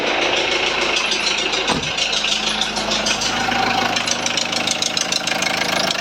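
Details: 2001 VW Transporter T4 1.9 TD diesel at idle, rocker cover off, short rev: a sharp, quick tapping knock about three per second over the clatter, first thought to be in the head; teardown found big-end bearing surfaces almost gone.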